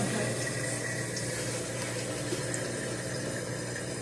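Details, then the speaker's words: Roper (Whirlpool) belt-drive top-load washer during drain before spin: steady low pump hum with water gurgling and rushing, no grinding or knocking; drain pump running normally as the mode shifter shifts to spin. "And not only that, Mommy, the drain pump kicks on, and the mode shifter turns on at the same time."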